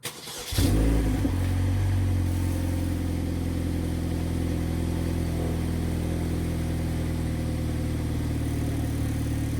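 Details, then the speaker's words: Car recorded at the exhaust, after limp mode with codes P0014, P0973, P0976 and a new exhaust camshaft sensor fitted: short crank then steady, even idle, rough idle gone, check engine light off; transmission solenoids may still need replacing. "no rough idle when I'm at a stop. Check engine lights off."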